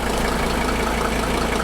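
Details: 1983 Mercedes W123 300TD wagon, OM617 diesel, after fuel lift pump rebuild for fuel pressure bleed-down, hard starts and stalling: warm engine settles into a steady, even idle clatter with no misses or knocks, no leaks; normal healthy idle.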